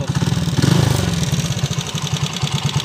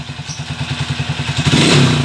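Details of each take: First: TMX155 single-cylinder motorcycle with sidecar, timing gear newly replaced yet still noisy and burning oil; at idle a busy metallic clatter over the thumping beat, caused by crankshaft end play. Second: Motorcycle TMX 155 single-cylinder after timing gear replacement and rebore: thumps evenly at about eight beats a second, then revs cleanly, the earlier noise gone.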